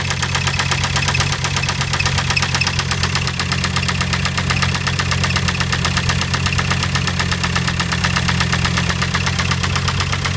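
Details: 2006 VW Jetta TDI diesel engine at idle, running for the first time: a steady, sharp knock riding over the low rumble; cause unknown.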